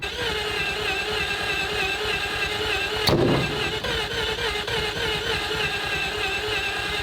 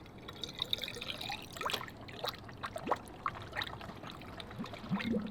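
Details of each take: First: 3-rotor Mazda RX-7 warming up at steady idle: raspy, hissy exhaust chatter and a sharp pop near three seconds, from exhaust leaks at multiple points because the downpipe was not installed properly. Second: Engine off on the rotary-powered three-rotor RX-7: coolant (plain water) audibly trickles and gurgles freely down into the block past the thermostat, which has had holes drilled in it; air is still trapped at the top of the system.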